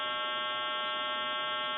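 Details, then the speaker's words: Western Electric Princess touch-tone telephone calling a time-and-temperature line: a loud, steady, buzzy hum for about two seconds. This is said to come from the service provider's equipment problem, not the phone. "then you'll hear a hum and then the recording will continue it has nothing to do with what we're doing here they're having problems with their equipment"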